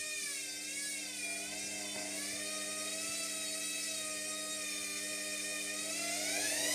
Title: Hotpoint Smart Tech Washing Machine Eco Cottons Noisy Spin - #shorts